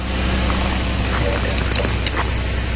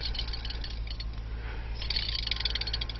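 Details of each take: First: 2008 Mazda Tribute (Ford Escape) 3.0L V6 running with the serpentine belt removed as a test: even steady idle with no squeal or chirp, so the bad noise comes from a pulley. Normal idle with belt removed. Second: 2008 Mazda Tribute (Ford Escape) 3.0L V6, serpentine belt off, 15 cm idler pulley spun by hand: gritty, scratchy rattle in uneven bursts. Defective bearing, replaced with a 203-FF bearing. Idler pulley bearing roughness.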